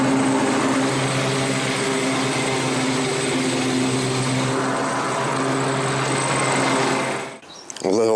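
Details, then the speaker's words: 7-year-old Craftsman 28-inch walk-behind mower after cable repair: steady engine drone with a thin, high, constant whistle squeak and possible rattle; owner suspects a belt, source not pinned down. "It's got a whistle squeak somewhere. Something's rattling or a belt or whatever. Um that's a problem."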